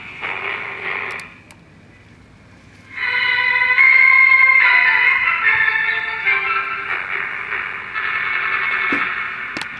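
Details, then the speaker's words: 1961 RCA 3RH10 AM transistor pocket radio on 4 volts, after a replacement last IF transformer was fitted, still with open capacitors: quiet hiss, then a station comes in loud and clear with music, holding steady; good sensitivity, normal reception. "hey, the sensitivity is there. Even with these open capacitors, it's kicking ass."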